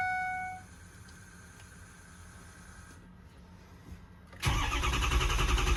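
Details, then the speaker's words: 6.0 Powerstroke diesel truck after fixing a high pressure oil leak that caused a hot no-start (oil above about 140 degrees, endless cranking): a few seconds of low, quiet cranking, then it catches abruptly into a loud, steady clatter; starts normally. "It starts good and starts back up good,"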